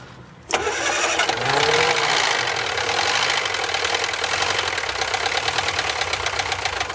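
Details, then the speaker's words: Barn-find Austin-Healey Sprite, carbs with dried gaskets now leaking, first start after sitting: catches quickly, then ragged uneven running needing throttle held; won't idle yet, later idles on its own after oil circulates. "this one started quite easily doesn't want to idle quite yet let's start this up one more time"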